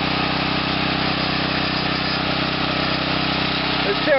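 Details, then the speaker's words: Small engine fitted with a reactor using a shortened 4.5-inch, 3/8-inch 4130 steel rod, running during break-in: an irregular loose rattle, about four taps a second, from the rod banging around inside the reactor. The owner needs a rod stop. "the rod banging around on the inside of there it's a them Rod stops is harder and held the center someone posted that you know it sounded like it was a little out of balance well I guess it is because I just need to make the glorified Rod stop somehow"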